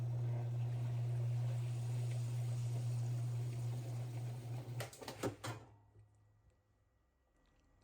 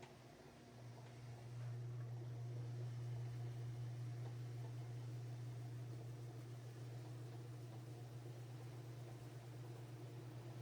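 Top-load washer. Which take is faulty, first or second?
first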